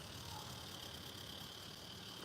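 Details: Motionette toy gearbox after regreasing and reassembly: quiet, even whir with a thin steady tone, no clicks, jerking or hesitation. Normal running; clicking noise fixed.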